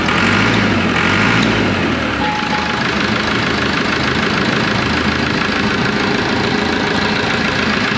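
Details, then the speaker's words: Auction roller diesel after a complete rewire, idling with 60 lb oil pressure: a steady, even, smooth beat with no puffing or ticking from the manifold, no exhaust leaks. Healthy, sealed idle. "look at that oil pressure would you 60 lb that's an Idle No exhaust links"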